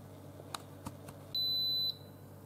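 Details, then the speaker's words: Instant Pot-style pressure cooker signalling its timed pressure cook is done: two clear high-pitched electronic beeps about half a second each in a quiet room, normal completion before keep warm or cancel. "so this is done so if I was done and I didn't want to go any further I didn't want to keep it on keep warm I could just hit cancel"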